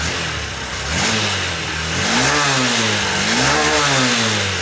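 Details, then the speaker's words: Honda SP BS6 motorcycle with starting and missing problem, now with an injector borrowed from another bike: revs cleanly on several throttle blips, pitch rising and falling smoothly without hesitation; pickup restored, old injector confirmed faulty. "Start করছি। দাদাভাই দেখো গাড়ি আমাদের start হয়ে গেছে। Pickup দিছি।"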